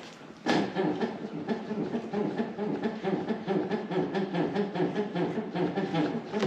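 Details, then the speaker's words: Porsche 911, first registered around 1998, moving with rapid repeated creaky squeaks from the front axle; the front shock absorbers, believed to be the original ones, are worn. "richtig wir haben Quietschgeräusche von der Vorderachse um genau zu sein von den Stoßdämpfer"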